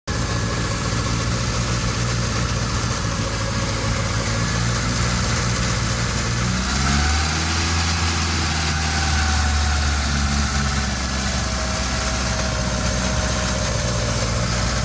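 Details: 1987 Honda CRX carbureted engine after head rebuild for bent valve from broken timing belt, idling unevenly with speed sagging and recovering; running very lean, suspected vacuum leak at carburetor base plate.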